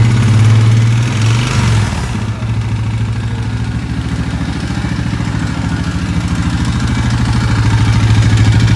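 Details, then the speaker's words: 2011 Yamaha Grizzly 550 single-cylinder ATV engine, 1800 miles, muffler baffle removed so louder than stock; steady idle thump, quick throttle blip about a second in, back to even idle: normal idle and rev. "i'm gonna hit that throttle for you you can hear it rev"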